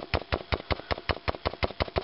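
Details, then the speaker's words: Vintage Electro-Voice SP15A 15" woofer, distorted even at low volume, cone pushed by hand: a dozen sharp clicks, about five a second, per push; owner suspects rubbing and a voice coil broken in half, needing a recone. "and if you even move the the the cone manually you can kind of hear a clicking and grinding type noise flapping or something going on can you hear that yeah well that makes your music sound like"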